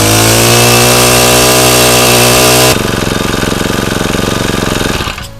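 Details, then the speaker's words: Honda GX35 four-stroke brushcutter engine after service and repair with a new genuine carburetor, spark plug and fresh 100 cc oil: revs high with a steady buzzing drone, settles to an even idle, shuts off cleanly; normal running. "这样这一颗GX35的引擎呢，大致上就保养完成，好，以及维修完成。那我再发动一次给大家看一下。"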